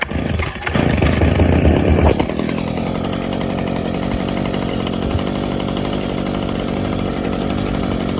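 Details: 2011 Stihl SH85 two-stroke leaf blower/shredder vac, after carburetor adjustment, new spark plug and fuel filter: pull-start on half choke, quick rise in revs, then steady even buzz with no stumbling; runs healthy.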